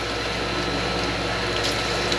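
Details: Ranch water well pump after letting air out of the line, about 91°F outside: steady pump hum under rushing gushing water, even with no surging or sputter; primed pump delivering water normally.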